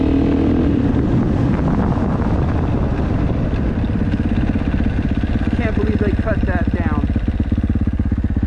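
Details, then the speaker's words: KTM 450SXF single-cylinder (2015–2025 generation) after transmission repair for a failed 5th gear; crisp bark pulling cleanly through the revs with steady firing and no miss or rattle. All five gears feel good. Normal running. "well that is pretty much it she is up and running all five gears feel good"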